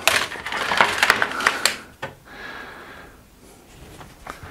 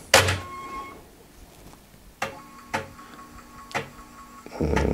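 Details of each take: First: Restored Amiga 500 after disk drive servicing, trying to read a disk: irregular rattling clicks and scraping about three per second, then faint hiss as the head seeks; drive failing to read, owner hopes the disk is just bad. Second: Restored, recapped Amiga 500 after disk drive servicing, reading a Workbench disk: sharp head clicks about a second apart over a faint motor hum; floppy drive reading normally.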